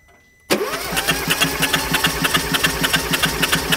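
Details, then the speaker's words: Starter cranking during a compression test on an engine with suspected damage under 100,000 km: even cranking, steady matching pulses; 10 bar measured, good. The engine had bone-dry plugs and was getting no fuel. "Oh, okay, da ist auf jeden Fall Druck da. Wie viel? 10 Bar, das ist gut. Das müsste ausreichen."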